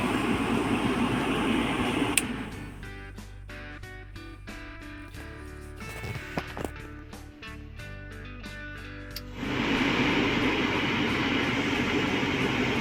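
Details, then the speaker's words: Car heater blower motor bench-fed from fuse box, running on high: steady even whirring rush, no rubbing, ticking or wobble; normal blower motor at high speed. "now we get normal sound of working motor on the high speed"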